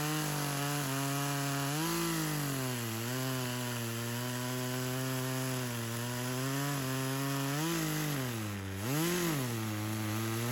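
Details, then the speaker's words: Craftsman chainsaw, unknown model, that sat for years, first run: revs rise and sag repeatedly while cutting wood, bogging under cutting load. It cut well but clutch engagement is a problem, more fuel added; owner suspects a slightly stuck ring. "The only thing I'm having a problem with is the engagement. So I had to add a little more fuel to it."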